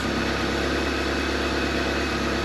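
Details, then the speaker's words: 1983 Ford Thunderbird Turbo Coupe, 2.3 L turbo, first run after 20 years, warming up at idle. Lumpy, uneven idle that sounds like a missing cylinder, with no big knocks and no oil pressure light; cause suspected, possibly a sticky injector, not confirmed. "this one's not too happy it usually almost might be missing a little bit that one's not hitting"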